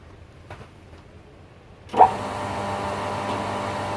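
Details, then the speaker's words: Pool pump restarting after its capacitor was reconnected: quiet, then the motor kicks in and settles into a smooth, steady hum with no rattle or struggle; pump running normally. "c'est à dire que ces bons qui le condensateur est bien branché la pompe fonctionne"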